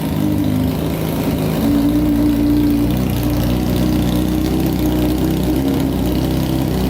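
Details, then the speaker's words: Honda CBR600 four-cylinder engine in a custom go-kart, on a gravity-fed gas tank: fast, even buzzing idle sits well above normal and never settles; the idle is suspected to be adjusted too high. "man sounds pretty good i wonder why the idle's so high probably because i wonder if that's adjusted too high right there"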